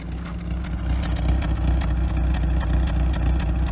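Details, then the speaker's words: Carbureted 1988 Toyota Corolla, just started: deep, uneven, lumpy stumbling idle with cooling fan blaring, smoothing after about two minutes; rough idle, owner suspects a bad spark plug. "when it starts trust me she's running rough i mean rough with a capital rough nasty cooling fan is for some reason blaring"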